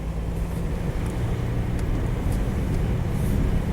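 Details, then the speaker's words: 2001 Pontiac Bonneville test drive after wheel work: only a low, steady road rumble while accelerating, with no growl rising with speed. The wheel bearing is now quiet compared with the previous day's growl and poor acceleration. "quiet already by this time when we heard that growl yesterday"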